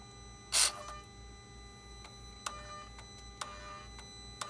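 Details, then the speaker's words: Mercedes R320 3.0L, intermittent boost pressure regulator / charge pressure too high code: turbo actuator commanded via scan tool makes sharp dry irregular clicks; wiring good, internal actuator gears worn, needs replacement. "you hear the noise you hear the clicking sound so every time I press so when I press F4 nothing happens"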